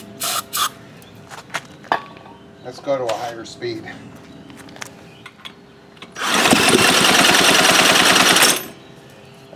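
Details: Baja Doodle Bug mini bike, abandoned with a carb issue, gives fast even churning pulses for a couple of seconds, with no catch or firing; cranks without starting.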